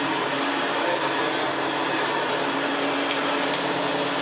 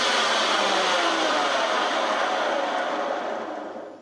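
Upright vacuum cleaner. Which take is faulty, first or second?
second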